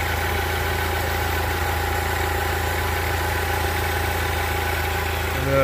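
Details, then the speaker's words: 2003 Chrysler Sebring 2.4L after new alternator and power steering belts and tensioner pulley, once the startup whistle faded, AC switched on: steady, even idle hum with no squeal, chirp or rattle; healthy idle. "so everything looks good and the noise pretty much went away on its own didn't seem to make a difference hooking the ac on"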